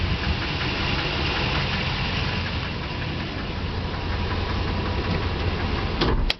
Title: 2007 Nissan Titan engine knocking noise